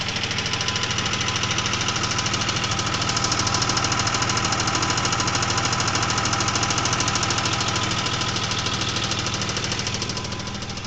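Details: 2000 Isuzu Trooper idling: sharp even ticking about three a second, much louder after switching from Rotella T6 5W40 to Mobil 1 15W30 oil; owner suspects crankshaft bearings, sounds louder from underneath.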